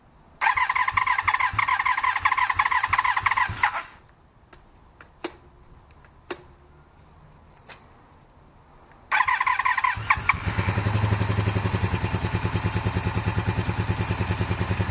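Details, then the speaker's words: 1982–83 Honda V45 Sabre V4, won't-start diagnosis, started with no choke after the spark plug lead was refitted: after a cranking stumble it catches into a lumpy uneven idle, not firing on all four cylinders. "Okay, so it starts. Doesn't sound like it's running on all 4 cylinders, but it starts."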